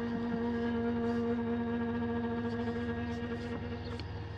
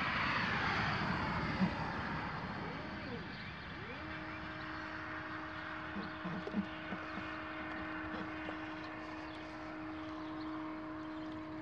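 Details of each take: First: Astro-Physics Mach2 mount slewing at 1800 Go-To rate from the west side to park 3: steady buzzy motor hum with vibration felt at the RA axis and motor; one motor stall shown. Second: Astro-Physics Mach2 equatorial mount at 600 Go-To speed slewing from west side to park position 3: motors ramp up then clean steady hum, no rattle or vibration; RA-axis vibration otherwise occurs at 1000 and 1800 rates going west to east.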